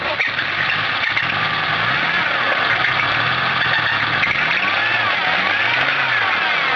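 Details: 1995 Volvo 850 T5R, sold as seized engine, first start after cranking with plugs out: harsh, rough clatter as revs rise and fall; oil light flickers once per revolution at idle; owner suspects spun rod bearing; engine knock.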